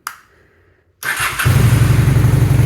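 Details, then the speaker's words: 2001 Honda Shadow VT600CD with a bogging-on-acceleration complaint: quiet click, catches within a second, even lumpy twin idle without needing choke (owner suspects that may be another issue). Normal start and idle. "Bike starts and idles perfectly fine. I don't even need the choke, which might be another issue, but we'll see."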